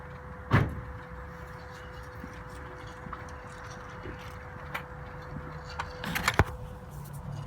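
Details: 2004 Mazda6 with engine just turned off: faint steady hum lingering among door clunks and clicks; loud noise after shutoff, source unclear.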